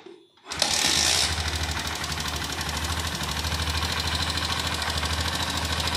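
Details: Honda Shine fitted with a fuel pump circuit alteration kit, injector tube reconnected, kick-started because the battery is low: catches and settles into a quick, steady putter with even firing; running normally.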